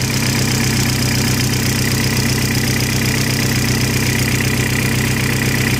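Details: 1.8T petrol engine with IE rods, 27k km since rebuild, idling with a steady regular knock of about two to three beats a second; owner unsure of cause.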